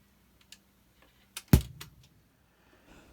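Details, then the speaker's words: Dual 1225 turntable: a single loud deep pop thumps through the speakers as it starts or stops. The cause is a failed .068µF 250V capacitor at the on/off switch, and replacing it solved the problem. "in all likelihood I think that the popping sound is coming from a failed capacitor"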